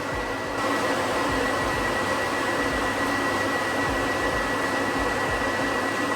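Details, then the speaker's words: 1988 dually with newly installed electric fans, first switched on after wiring: strong, steady rush of air with an even motor hum and no rattle or wobble; the fans blow hard and work properly. "Oh yeah, you can hear it. You can hear it right away, how much air. Oh yeah, it's blowing air like crazy."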